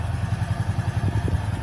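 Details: Honda Biz 125, 2011, 80,128 km, after cylinder rebore, new piston, connecting rod and both crankshaft bearings to cure an engine knock: quick, even low putter, no knock or clatter. Normal idle.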